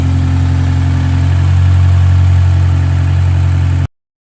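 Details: BMW N13 engine first started after a timing chain replacement: steady, even low hum with no knocks, ticks or rattles; the engine idles cleanly.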